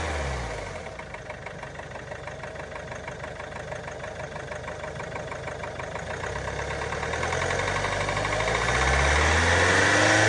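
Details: Range Rover Velar 2.0 Ingenium D240 diesel idling: steady light tapping about three times a second, seemingly top end, going away when revved; engine warning light on; cause unknown.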